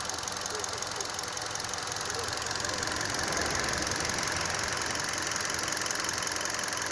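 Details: 2012 Hyundai Solaris 1.6 AT, 130,000 km, fully warm at idle: a sharp, fairly regular light knock three or four a second, clear at 80° oil/coolant, much quieter at 90°/100°; owner suspects piston slap, unconfirmed.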